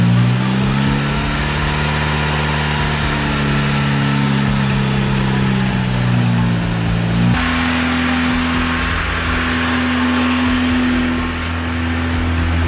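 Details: VW Golf Mk1 AWD (4motion) 1.8T turbo, first start after engine and gearbox refit with new clutch, flywheel and pressure plate, clutch not engaged: starts first try and holds a steady, even idle with one small pitch step, no knocks or stumbles.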